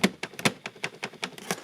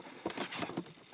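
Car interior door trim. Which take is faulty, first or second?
first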